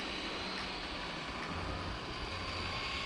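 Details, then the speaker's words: Arrma Typhon 3S RC car after repeated jumps and crashes: a steady, rough whirring grind from the drivetrain with no clean motor note. The spur gear is stripped; the gear mesh had not been checked. "Yeah, it's making a funny noise."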